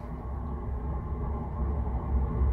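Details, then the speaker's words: Diesel heater after cleaning its clogged atomizer screen, running at full output: a steady low roar with no surging or popping, quieter than before; normal running. "going full but that's that's normal that's supposed to be like that just not as loud as it was before"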